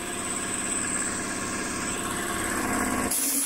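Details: Air compressor on a Vevor 5500W (EM 5500-48L) inverter from battery, on top of a 2.2 kW load: fast, even chugging at about 3.5 beats per second, steady, then a hiss; the inverter is not overloaded.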